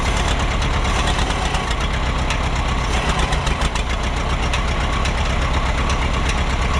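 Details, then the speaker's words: Minneapolis Moline Big Mo 500 tractor, first start in 10+ years after ignition fix, on auxiliary fuel tank: loud, deep, steady rumble at fast idle with some clatter, no misfire; fan hitting the shroud noted. "So, I hear the fan kicking against the shroud. I still don't see any cooling problems."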